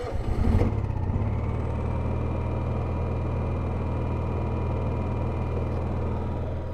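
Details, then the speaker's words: Honda EU7000is generator after fuel pump replacement, fuel pressure gauge taped down, starting at 0 watts before an air conditioner loads it: brief rev then even low hum at steady unloaded idle, no hunting or surging; normal. "Okay, so we're going to start off at 0 watts."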